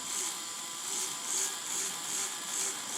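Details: Small fischertechnik motor driving a robotic arm gearbox. High thin buzz swelling and fading about two and a half times a second, unevenly; the motor runs weakly and the owner considers it faulty.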